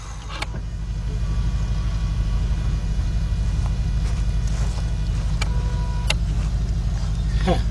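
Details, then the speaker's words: 2006 Mazda 6 from auction that cranks but won't start, during a compression test with the throttle held wide open. The starter spins the engine evenly at about three beats a second and it never catches; zero compression on that cylinder, and timing chain movement is suspected. "that wasn't good got nothing so let's un hook this and go to a new [Music] cylinder"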